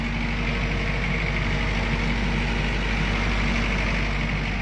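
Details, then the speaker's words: Military diesel generator after repair of shutdown fault: deep, even rumble holding steady speed with no knocks, misses or hunting; voltage and frequency controls audibly change with rpm; running smoothly. "Listen to that baby just purr. That is a smooth running engine."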